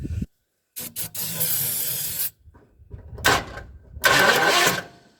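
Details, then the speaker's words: 1958 Edsel being revived after being freed from seizure, with remounted solenoid, spark confirmed, carburetor not yet fitted: short cranking bursts with ragged chugs that catch briefly then die; engine won't keep running, owner suspects ignition timing way off. "come on [Music] chug you heard it [Music] yeah maybe my timing's way off"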